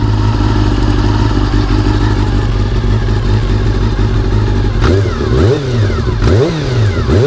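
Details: Honda CBR400RR (NC29) after replacing its noisy fuel pump with a CBR600F fuel pump: smooth idle, then clean rev blips that rise and fall crisply, with no whine or buzz; fuel supply sounds healthy.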